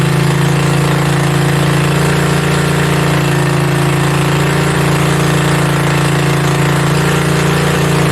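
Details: Mini bike V-twin, a generator engine, first start with belt off and throttle knocked up; loud steady fast drone with no dips or hunting; idling way too high, fix is the idle screw underneath needing a screwdriver.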